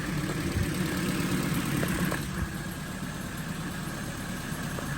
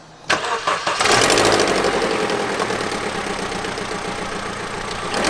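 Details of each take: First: Vauxhall Astra rescued from scrapyard, previously making a horrible exhausty rattle (one bolt still missing; loose timing chain found earlier): now a steady, even idle with a low smooth hum and no rattle; normal idle, problem gone. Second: Vauxhall Astra engine idling with a harsh rapid ticking rattle that swells on each throttle blip; first suspected as a loose timing chain, but the noise persisted and was found to be an exhaust manifold gasket leak.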